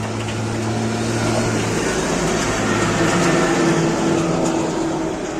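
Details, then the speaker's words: Bosch Series 6 front-load washer after main PCB power supply repair, TNY286K IC replaced by TNY286P: drain pump hum and steady drum whir on spin, no knocks or scraping, normal spin cycle. "Drain is running. Oh, and the drum is turning. The drum is also turning."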